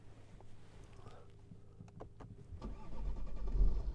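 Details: BMW 116d diesel, engine rebuilt after timing chain failure, broke down months later with low fuel pressure: a few seconds of uneven cranking, then it catches and settles into a low rumble; started this time, no-start cause still unknown, battery drain fault also present.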